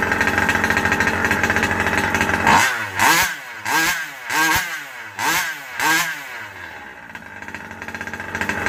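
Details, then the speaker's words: Rovan Baja 5B two-stroke just fitted with a new 1107 carburetor: blipped in quick bursts, it sags and is reluctant to rev; the low-speed mixture is running lean and needs more tuning. "I still have a little bit of a lean spot. I can hear it kind of not wanting to get up on its RPM."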